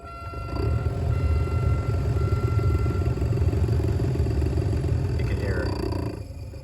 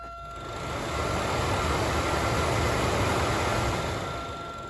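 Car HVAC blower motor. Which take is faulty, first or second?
first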